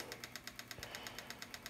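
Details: Mac Pro bought cheap as supposedly dead, noise unresolved after cleaning: steady fast ticking about seven clicks a second over faint hum, fan blade knocking as it spins; cause unconfirmed, blades later taped as temporary fix.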